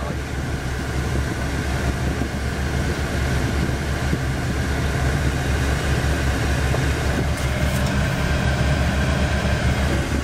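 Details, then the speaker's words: 1983 Chevy C30 Squarebody with new Murray blower motor replacing a worn, probably original one, engine running for vacuum: steady even rush of air, no ticking or wobble; blowing harder, estimated 25% increase. "it definitely definitely is blowing harder that"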